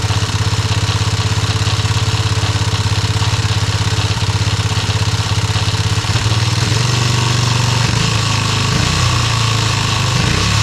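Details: Yamaha restoration engine idling with brand-new carburetor just installed: lumpy idle pulsing about 200 times a minute, uneven and wandering after six seconds; carburetor needs adjusting.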